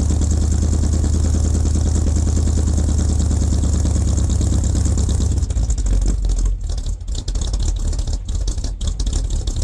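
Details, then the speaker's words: 1978 K25 with freshly rebuilt engine (new valve springs, seals, valves), first real cold start at about -8°C: steady, fairly even low engine beat settling into idle without knocks or misses; sounds healthy. "ça va être son premier vrai cold staff il fait environ -8"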